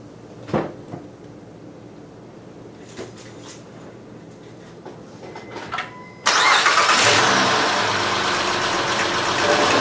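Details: Honda Odyssey started after Big-Sert repair of a blown-out spark plug thread and plug installed: a few clicks, engine catches at once into a smooth, steady idle with no misfire or ticking. Normal start and idle.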